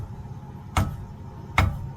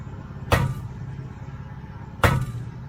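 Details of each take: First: Trailer spring brake chamber tapped with hammer during DOT inspection: two dull, short thuds with no ring, so the internal spring is intact; a broken, rusted spring would clink. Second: Trailer spring brake chamber, rusted at the base, tapped with a hammer: two taps give a bright, ringing metallic clink instead of a dull thud, revealing a broken internal spring; chamber to be replaced entirely.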